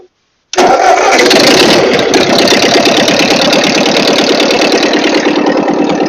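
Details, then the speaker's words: Ford 8N tractor, sat for years, after carburetor rebuild (cleaned, float adjusted), choked with a little more throttle; cranks briefly, catches straight away and settles into a steady even chug about three beats a second, no knocking; normal running. "all right well I was going to say that sounded really good"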